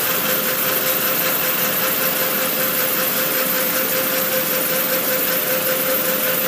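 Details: Yamaha R1 motorcycle at idle: loud airy hiss pulsing about twice a second over steady idle, faint constant tone beneath, louder on cold start; source unknown.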